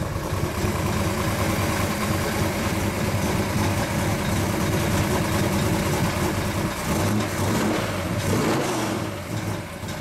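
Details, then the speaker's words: 1935 Chevy Master with newly installed 409 stroker V8, first start-up, oil pressure and temperature good: choppy, loping idle swelling on small throttle blips; normal idle with performance cam, engine healthy. "the pressure is so much good sure sounds good sounds like it's got a cam in it buddy all right"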